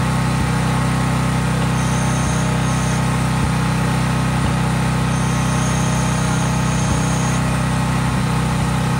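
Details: Craftsman 5000-watt generator outdoors after a cold start, at full speed with no load (only an LED bulb plugged in): a steady, even low drone at constant speed, no misses, surging or knocks; normal healthy running.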